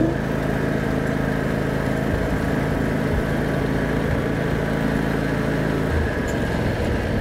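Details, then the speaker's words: 2006 John Deere X320 riding mower (1,500 hours), after carburetor solenoid replacement, on a test drive: the single-cylinder engine runs smoothly through the full throttle range with even firing and no surging or misses. Normal running. "all right so it sounds like we've got all our throttle all the way from the bottom to the top"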